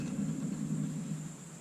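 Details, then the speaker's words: Van with wheel bearings replaced about nine months earlier, spindles badly worn: low, rough, gritty hum fading as the wheel slows; worn wheel bearing. "I just put brand new wheel bearings in this thing back in like January before the Spring Gambler, and as you can hear probably, don't sound too hot."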